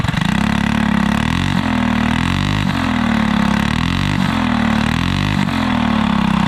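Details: Alcohol-fuelled 212 go-kart engine, run after three months in the garage without draining the fuel, with a new torque converter fitted: a strong, even note rising and falling smoothly under repeated revving, no misses or knocks; normal running.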